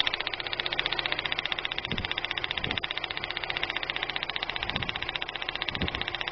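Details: 1999 Daewoo Nubira idling with rapid even ticking and an irregular low thump about once a second; misfire checked at the plug wire and coil, but caused by cylinder head damage.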